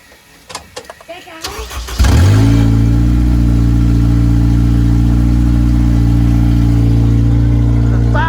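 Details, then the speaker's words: Engine run to show it is still good: brief crank, catches instantly, settles to a smooth steady idle with no roughness, ticking or misfire; healthy. "lips sir so it's ready still there we go she's good to go"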